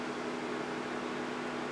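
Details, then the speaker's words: Mazda Tribute with ignition on: steady airy whoosh and low hum as radiator cooling fan runs constantly or hunts up and down, cutting in and out; fan control (PWM) circuit fault suspected. "and I noticed when I had the ignition on that the cooling fan seems to be on constantly or it just seems to hunt up and down all over the shop"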